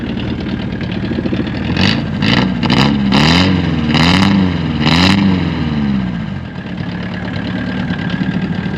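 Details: 1979 Mk1 VW Rabbit diesel left in the woods, started cold after glow plugs heat: idle surges and sags in uneven waves with sharp clattering bursts, then settles somewhat; a little white smoke of unburnt fuel, rough idle.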